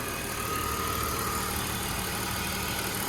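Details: 2002 BMW donor car with 101,000 miles and front-end wreck damage, heard under the open hood: quiet, smooth, even hum with no knocks or ticks; the engine idles cleanly.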